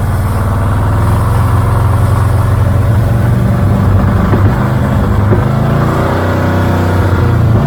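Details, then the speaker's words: 1978 Dodge Aspen R/T, revived after sitting in a junkyard since 1987, still slightly smoky: a rough, lumpy note that wavers and hunts, won't run consistently, possibly clearing out a little; fuel and cooling systems still to be sorted, cause unclear. "okay there's a little smoky out still not bad uh i can't get it running consistent enough to really hear it if it's clearing out it seems like it's clearing out a little bit"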